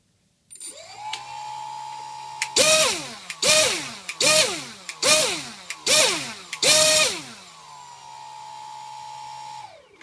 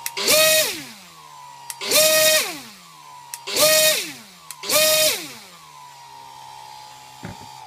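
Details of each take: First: Pixhawk flight controller powered from the speed controller's BEC with the power module removed, single ESC driving a 2200 kV brushless motor on the ground; steady idle whine and six clean throttle bursts, no stutter or sync issues detected. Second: Brushless motor (2200 kV, 3S) on a Pixhawk with the ESC 5 V BEC line connected spins up four times with a high whine, each start preceded by a brief grind; a sync issue, improved but not fixed.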